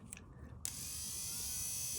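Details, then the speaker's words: 1999 Dodge Ram lift pump run on direct battery power with the pump unplugged from its harness: only a faint, thin, steady whir with no strong hum, the pump barely running; weak, failing lift pump. "Well, the lift pump's trying to make some noise, but it's not."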